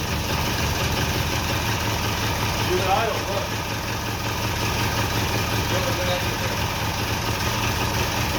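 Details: Twin-cylinder Briggs engine on mini bike, rebuilt carburetor, black steel pipe exhaust, first start: steady fast putter holding even under throttle, both cylinders firing, no misses; running normally.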